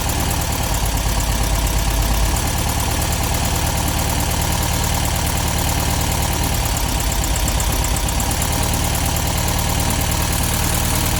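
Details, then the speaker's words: 1972 VW Beetle 1200 after valve clearance adjustment: busy, clattery valve train tapping over a lumpy idle, now running on four cylinders; clearances likely set too loose, to be tightened. "So you could hear the valve train noise there. Definitely think we went a little bit overboard with those valve timings. I think just going to have to tighten them up a little bit."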